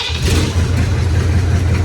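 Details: 1983 K5 Blazer (odometer about 107,000 or 207,000 mi) with a swapped 6.2 diesel, warm restart after glow plugs: it catches and settles into a steady, deep, even idle with no knocks or misses. It sounds healthy.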